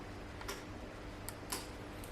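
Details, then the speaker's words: Mercedes crank-no-start car, sitting 12 months: with the relay supplied a ground, sharp crisp single clicks each time it switches in a quiet background; relay pulling in properly, wiring good, car then starts. "now if we do provide it with the ground and we're very quiet we can actually hear the relay click"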